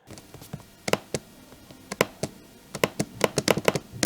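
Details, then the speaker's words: Second-unit comparison: original Legion 5i Pro (12th Gen Intel, RTX 3070 Ti) laptop with a slightly warped chassis that rattled on the table; its trackpad gives irregular loose, springy clattering clicks instead of clean clicks. Rattling trackpad. "it rattled on the table because the chateau was a bit warped had a rattling track pad"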